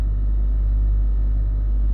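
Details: Range Rover L322 3.6 TDV8 air suspension, codes CA120-64 and C1130-7A, after Hitachi compressor repair: steady even low hum without surging or knocking while raising the vehicle; normal compressor run, possible slow air-bag leak unconfirmed.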